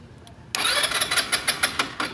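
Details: Rusi Passion scooter won't start on the key starter: it spins with even compression pulses, about six a second, but never fires. Kick start also fails, pointing to no spark.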